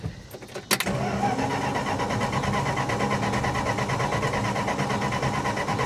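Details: 1966 Plymouth Fury with new electronic ignition, coil wired directly to the battery: steady cranking about three beats a second with no firing on a dying battery. Crank no start, no spark.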